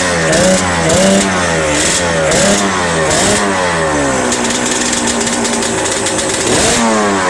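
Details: Yamaha Banshee 350 two-stroke, sat about 5 years, after TORS delete, carb clean/rebuild and new throttle cable: crisp ringing blips rising and falling with throttle, catching cleanly and running on; healthy.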